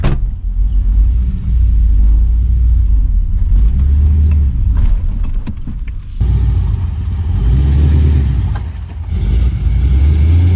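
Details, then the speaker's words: Holden VX SS Commodore V8 with fully rebuilt engine and transmission, big cam, new exhaust, on its first test drive: deep lumpy rumble swells through two hard pulls and eases between, no knocks or rattles; normal running under acceleration. "that's going good that was good hope it doesn't St it's going it's going to that's good man"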